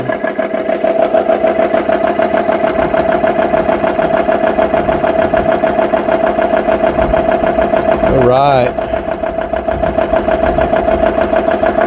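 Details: GX CS3 high-pressure compressor after repair, filling a gun toward about 3,200 PSI (past 2,500 PSI): steady, even pumping thump about three per second with a constant tone, no knocks; running normally.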